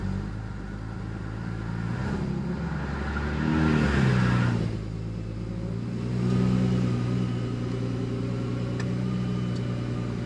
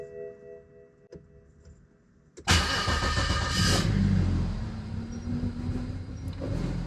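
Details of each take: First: Single-turbo BMW N54, first start after intercooler and fuel-line work with AN fittings and a bit of air in the fuel: a couple of brief revs, then a steady, even idle with no stumble or miss; normal running. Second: BMW N54 single-turbo engine start after fuel line work on AN fittings, at least one fuel pump heard priming: short crank catches, idle slightly lumpy; a bit of air in the fuel, expected.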